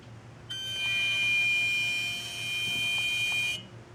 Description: Strange noise coming from the engine compartment, five shorter instances of the sound in this video. This was 2 hours after I parked it in the garage.